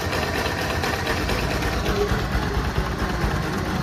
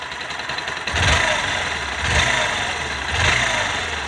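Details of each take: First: Bajaj NS200/RS200/NS160/NS125-type engine, older bike, at idle: fast light tik-tik over the engine thrum; valve tappet clearance ticking, with an engine oil leak also noted. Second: Bajaj NS/RS-series single-cylinder bike after the repair for engine tick-tick noise, heard at idle with light throttle blips: only a faint, even valve tick, much quieter than before; normal idle.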